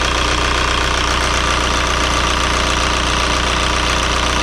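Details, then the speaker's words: 2003 VW Jetta TDI 1.9 ALH diesel with newly fitted 11mm Bosch VE injection pump, after cylinder cut-out checks: steady, even diesel clatter at idle, no misses, all cylinders contributing; running very smoothly, normal idle. "and i know that they are because this thing's running very smoothly"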